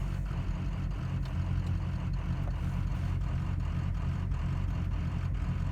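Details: Warm 6.0 Powerstroke diesel idling with a deep, uneven lope from 155 cc plugged spill port injectors without a proper tune; raising idle rpm doesn't cure it, and after tuning it ran perfectly.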